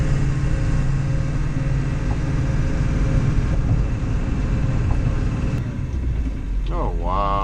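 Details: Ford 7.3L diesel that had a no-start, traced to a deteriorated fuel heater shorting to ground and blowing fuse 30 (EBP valve, WIF sensor/fuel heater): steady, even low rumble with no misses, knocks or stumbles; normal settled idle.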